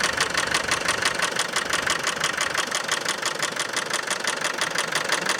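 Steady diesel idle with a sharp, even tapping about three times a second over it; an abnormal rhythmic tick, cause not pinned down. Cause suspected, not confirmed.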